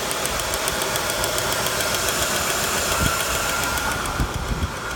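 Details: 1991 Cadillac Eldorado, 80k miles, neglected: engine idles smoothly, but a loose, irregular metallic rattle comes from underneath at the catalytic converter, like marbles inside; suspected loose catalytic converter internals, not confirmed.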